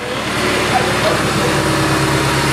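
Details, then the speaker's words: Nissan S14 Silvia idling with new or remanufactured power steering pump, wheel turned lock to lock while bleeding the system: steady idle with no whine or groan; very quiet, healthy pump. "that's like the quietest best working power steering pump I have ever heard or had"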